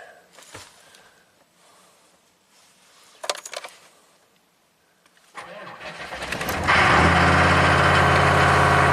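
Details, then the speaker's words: 1995 Chevy K3500 6.5 turbo diesel, 160,000 miles, started with the coolant temp sensor unplugged (reading -7°F): starter cranks, then the engine fires and races straight to a high steady rev with no throttle; runaway revving on startup. "Woo! So it does that. Crazy. The customer did not tell me that it does this."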